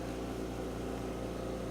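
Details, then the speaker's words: Home oxygen concentrator's top-unit fill compressor, canister locked on fill valve, gauge below normal so canister filling: even low hum with steady buzzing drone, no knocks or rattles. Normal compressor running. "turn on the top unit here compressor and you can see here the light yellow it says below normal so it's it's filling now"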